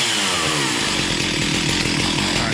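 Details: Stihl MS 361 chainsaw after fixing a no-spark, no-start fault (new fixed-top plug; ignition module or flywheel suspected), started with chain brake locked: steady high-pitched two-stroke howl with no misses or surging, running normally.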